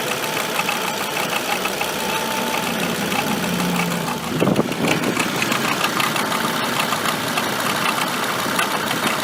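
Idling engine with a busy, uneven clatter layered over the run, louder briefly midway; something is off, but the cause is unclear.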